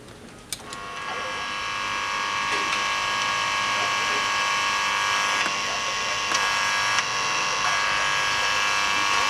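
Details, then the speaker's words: Telesonic CA-201 mono cassette boombox from the 1980s (AN7145M amp IC, 12.27 V DC supply) on the bench, steady electric buzz from the speaker while the tape runs, because the ground is not connected properly. "Se aude zgomot în difuzor deoarece împământarea nu este conectată corect."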